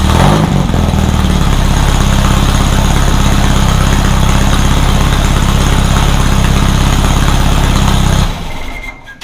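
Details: Rebuilt VW 1600 flat-four in a Baja Bug, first start after a two-year teardown, after retarding over-advanced timing: catches quickly, settles into a fairly even, throaty idle with no knocks or misfires, then switched off.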